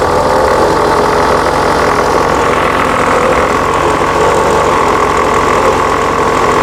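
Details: 1979 VW Super Beetle, fuel-injected, air-cooled, warm idle: steady hum with faint hiss and slightly uneven beat; possibly a vacuum leak, rough idle.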